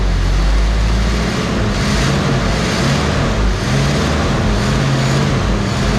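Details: 1969 Mercury Cougar H-code 351 V8, automatic, dual glasspack exhaust, just pulled from storage: lumpy uneven idle with occasional stumbles; owner thinks it is running on about seven cylinders, misfire suspected, unconfirmed.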